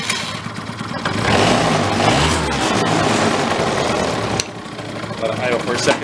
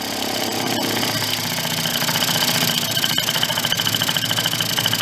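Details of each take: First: 2004 Yamaha Vino 50cc scooter, a barn find that sat for years: the small two-stroke buzzes into life, rises briefly, then settles into an uneven but running idle; it starts and runs, but the air-fuel mix still needs adjusting. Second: 2004 Yamaha Vino 50cc two-stroke scooter just revived after years in a barn, warming up: buzzy idle that hunts and pulses unevenly, growing louder. The air cleaner is removed and the air-fuel mixture is not yet adjusted, so the idle is unsettled.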